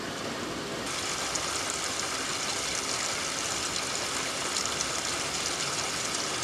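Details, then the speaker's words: Magic Chef 1.7 portable washer, five years old, now failing to spin: steady even hiss of water filling the tub with no motor noise; inlet valve filling normally. "And then the water comes out. This is like blurry. But yeah, the water's coming out."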